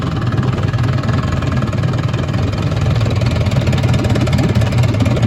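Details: 1958 Gambles Hiawatha 10hp Scott Atwater antique outboard, restored, completely stock: steady low drone with constant whine on top while running; gear case whine, which was louder before restoration.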